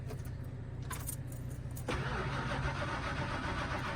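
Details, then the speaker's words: 1997 Fleetwood Storm RV that won't start: key rattle, then steady starter cranking at about 3.5 turns a second that never catches. No fuel pump engagement heard. Crank, no start, fuel pump not running. "Just cranks over. I don't hear the fuel pump engage."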